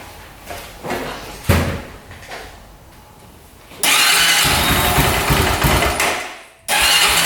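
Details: 2004 Honda 400EX single-cylinder quad after carb clean, valve adjustment and new spark plug (DPR8EA): fires, runs hard, sags and nearly dies before catching; still bogs, weak spark noted, coil to be tested, cause unclear.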